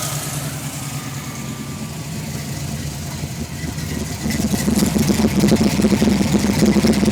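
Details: 1991 Ford Mustang V8 idling unevenly, then revving with an irregular stumbling exhaust beat rather than a smooth rhythm; misfire, cause unknown.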